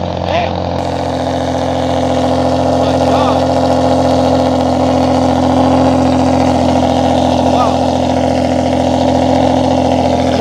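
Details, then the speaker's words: 2015 Ford Taurus Limited, tuned, cold start after six months sitting, awaiting repair after a timing failure destroyed the original engine. Insanely loud, deep exhaust drone at steady high idle, no knocks or ticks; normal cold start. "Yeah, that is loud. That is loud. Oh my god, guys. That cold start is insanely loud."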